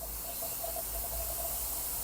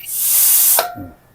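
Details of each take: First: Hyundai Staria 8-speed automatic with low-speed shudder around 30 km/h, gearbox apart on the bench: air test of the line-pressure accumulator, a strong steady hiss with no piston stroke, then cutoff; pressure leaking past a worn accumulator bore. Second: Hyundai Staria 8-speed automatic valve body after reinforcement repair for low-speed shudder, air pressure test on hydraulic line: sharp air hiss cuts off cleanly with short thunk, accumulator absorbing it, no lingering leak; valve body holding pressure.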